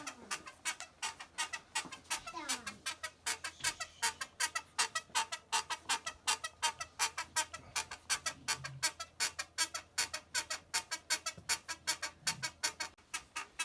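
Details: Peloton bike after about 6 months of use; a sharp, regular creak on every pedal stroke, two to three per second, from metal rubbing at a weld imperfection in the rear stabilizer.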